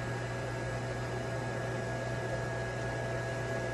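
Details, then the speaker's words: Small blower fan of an 8ft inflatable penguin inflating: constant low hum with soft airy rush, no rattles or speed wobble; runs cleanly, slow to inflate being a smaller fan. "it's a smaller it's one of those smaller fans so it takes a minute to inflate but once it's inflated you'll know it just pops right off"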